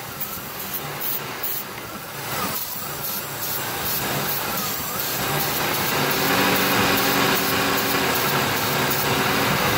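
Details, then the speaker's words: 2002 Ford F150 XLT 4x4 with P0171/P0174 lean codes, steady idle under a thin airy hiss growing louder near one spot; vacuum leak found at elbow hose running to throttle body. "Oh you hear that right there that basically says right there that we found out we found our culprit the leak is coming from the back of this here"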